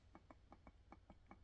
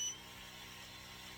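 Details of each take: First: Creality Falcon 2 22W laser engraver gantry pushed by hand: light, evenly spaced clicks about six per second from a wheel loose on its rail; eccentric nut needs tightening. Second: Creality Falcon 2 22 W laser engraver/cutter, new out of the box, just powered on: air pump starts with a quiet, steady hum and hiss, not crazy noisy, all three lights green; pump running normally.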